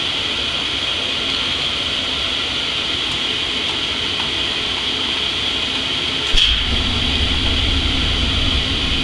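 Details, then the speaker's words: Oil-fired boiler/hot water heater kicking on after zone four wires reconnected: soft thump, then a low, even roar builds and holds steady over background hiss; burner lighting and firing normally. "and I heard it just kick on once I put the second one in and you can probably hear the furnace coming on"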